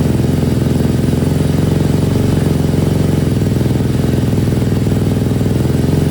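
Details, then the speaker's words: KTM 250 SX-F, first start after restoration, choke on: steady, even single-cylinder thump at a fast idle with no knocks or rattles; normal running. "All right, I don't want to risk anything, but that sounded really good. You never get tired of trying to run these engines for the first time. But that sounded good. That sounded really good."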